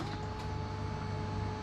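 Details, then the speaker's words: Polaris RZR 1000 after the fuel pump repair with a simple rubber spacer (it had been giving 25 psi vs 58 psi spec): quiet, steady electric hum through a full prime cycle with no rattle or stutter, pump priming normally before starting. "do a full cycle and then you start the machine that way you're just not starting it with no fuel pressure"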